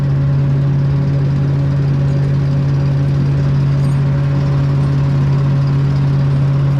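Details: Walker mower leaf loader blower fired up after reassembly: steady, even low hum with no knocks or rattles, running normally.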